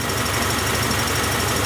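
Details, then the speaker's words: 1994 Acura Integra 1.8 L DOHC, warmed up. Covering the cold fast idle valve does not change idle speed, though there should be no flow when warm. Even, steady idle with no hunting or surging: normal warm idle. "Although with my finger over it, it's not really changing the idle speed. I really think we shouldn't have any with this engine warmed up."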